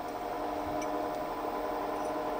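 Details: Wood lathe spinning a spindle blank with the tailstock revolving centre fully tightened: quiet, steady mid-pitched hum with no knocks or rattles. Pitch changes and it turns wobbly once the tailstock is loosened. Normal running.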